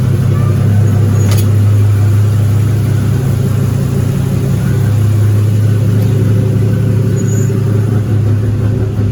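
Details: Buick Grand National started after a drive: steady deep idle with a slightly uneven, lumpy beat underneath; running a little rough, expected to improve after new turbo, return/drain lines and valve cover install.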